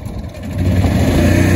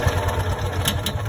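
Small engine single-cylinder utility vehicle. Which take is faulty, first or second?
second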